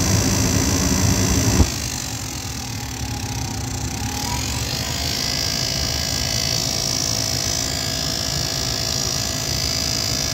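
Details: Goodman furnace on a no-heat call, inducer motor at thermostat call for heat: steady drone with a thin high whine that doesn't settle, worn and rough sounding, cause unconfirmed; noisy inducer motor.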